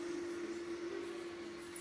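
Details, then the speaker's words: Traxxas TRX4 Defender with Hobbywing AXE 550 3300kv brushless motor and ESC, indoor run in high gear: quiet steady mid-pitched hum from the cooling fan, no clicks or grinding; running normally. "The slight humming sound that you can hear is from the fan, and that's a noise that I'm willing to put up with, mainly because it sounds like a car fan."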